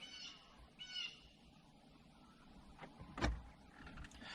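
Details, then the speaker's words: 2013 Jeep Patriot after blend door actuator replacement for clicking: scan-tool actuator calibration sweeps all three HVAC doors to their full extremes. Short, faint electric whirs come from behind the dash, which is normal actuator travel. "this calibrates all three doors so it it moves all three to the uh full extremes open and close hot and cold whatever"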